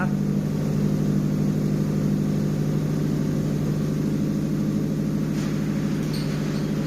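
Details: JDM Nissan Pulsar GTiR on a freezing cold evening: engine settles into an even, steady idle with no stumbling or cut-out after the unconnected vacuum pipe was reconnected, curing the rough running.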